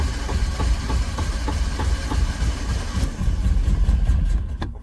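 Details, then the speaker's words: Porsche 924 that had been sitting, first start attempt: the engine idles lumpy and uneven, stumbling, then sags and fades as if about to stall. Cause unknown; on checking afterwards most plugs looked good but one was a little wet and one very wet. "so since she runs really rough I am going to check um well I checked the plugs"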